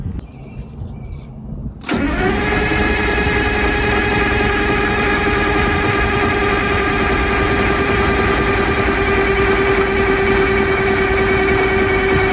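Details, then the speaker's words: Detroit 6V92 diesel in MCI MC9 bus RV after oil pan gasket and oil line repair, oil cooler, filter and lines drained; cranked with fuel lever held off to prime oil pressure; steady cranking about three beats a second, no firing; normal. "And what that's going to do is hopefully pump the oil around in it to maybe build a little oil pressure just to get oil on everything, because the oil cooler is drained."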